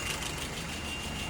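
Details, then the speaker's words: Engine after repair, idling at 700 rpm, vacuum 23, fuel pressure 2.6–2.7: low even idle, steady hum, no knocks or misses; sounds settled and healthy. "Currently idling at 700. Vacuum is at 23. Fuel pressure 2.6, 2.7."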